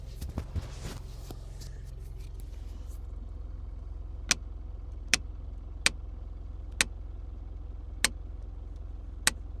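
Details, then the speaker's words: Mitsubishi Pajero/Montero/Shogun Gen 4 after parking brake shoe replacement, in park on flat ground, idling, mic removed to capture: six evenly spaced ratchet clicks, within 6–7 notch standard with slightly more force than usual; engaging normally. "Okay, so it gets to that 6 clicks. Okay, for me, there's look, a little bit of force there, probably more than I'm used to."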